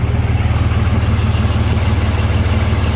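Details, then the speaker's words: Overland truck after muffler-shop repair, pipes spaced apart with shorter expansion clamps so they can't saw through each other: steady, firm idle about three pulses a second, no rattle or buzz from the pipes; normal idle. "so four hours later she's fixed completely and totally fixed"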